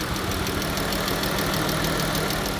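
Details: Jeep Grand Cherokee, 3.6 Pentastar V6: light, quick ticking over a steady idle, keeping time with engine speed; suspected valve train tick, probably bank 2, valve covers to be pulled, not confirmed.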